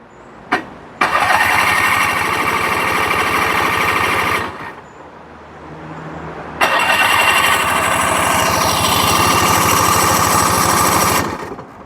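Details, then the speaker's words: Roughly 27-year-old tuk-tuk with a freshly fitted, unstrapped battery: two bursts of fast, even starter cranking at about three turns a second, with petrol smell but no catch; it cranks but won't start. "I think that is no start for today. I can smell petrol, but I can't hear the running of an engine."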